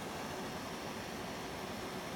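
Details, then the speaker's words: Cooling fan driven by an LM2596 fan controller with thermistor sensing, on a 720W PSU; set near 12 V from an 18 V feed. Loud, steady rush of air with no rattle, whine or rubbing. Normal fan operation at high speed. "You can hear how loud that is. That's moving a fair bit of air."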